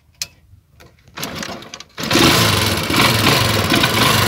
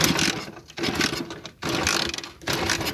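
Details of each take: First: Motorcycle with a hidden anti-theft switch spliced into a cut wire: with the switch on, a few clicks, then the engine catches at about two seconds and keeps running at a steady pace; runs normally. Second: Motorcycle fitted with an anti-theft hidden switch that cuts a wire: the starter whirs in bursts under a second and the engine turns but never catches while the switch is off. Cranks but won't start.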